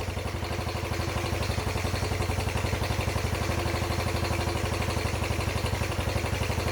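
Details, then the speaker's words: Freshly rebuilt, nearly 40-year-old Yamaha YFM80 Badger single-cylinder quad on first heat cycle: steady even putter, no knocks, slightly smoky while burning off muffler paint; valves much quieter – normal idle. "a little Smokey like mine right not too bad though Run's good the valves are way quieter"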